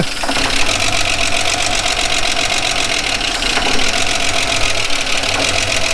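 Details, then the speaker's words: 1979 Holden HZ one-tonner ute, parked for years, first run on a Ford battery: fairly even idle with light quick tapping; owner suspects rockers need adjusting. "It works, it runs, doesn't sound too bad."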